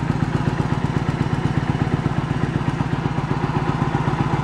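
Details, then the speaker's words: 1986 Yamaha Virago 1100 V-twin, sat about 6–7 years with fuel in it, first start-up: slow lumpy thumping about four beats a second with gaps, running on rear cylinder only; front cylinder dead, fuel confirmed reaching it. "I got nothing on that front. I gotta look into it. So why we got nothing on the front?"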